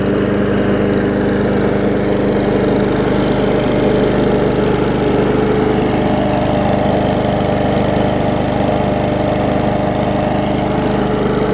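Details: Old Murray 22-inch push mower with transplanted ~3.5 hp Briggs & Stratton (originally labeled 5.5 hp), first start after years unused, new muffler and fresh gas: small single-cylinder runs at steady, even speed with rapid firing beat, no misses or knocks; healthy.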